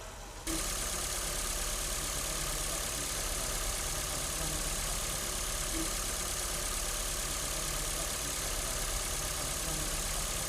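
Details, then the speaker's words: Ford Fiesta after starter motor service: the solenoid and its pinion gears were cleaned and regreased and the brushes checked. The engine now fires within half a second and holds an even idle, with no grinding or screech; the ugly starting noise is gone. "Listo, ya finalizamos eh de armar todo, hicimos la prueba y perfecto, ya el carro prende normal, sin generar ese ruido tan feo que hacía al principio y ya solo nos queda entregarlo."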